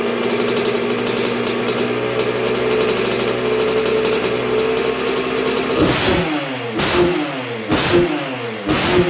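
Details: 1986 Honda CR125R two-stroke, not yet fully broken in after a new .060-over Wiseco piston top end: steady low idle, then sharp throttle blips about once a second dropping back cleanly; healthy normal idle.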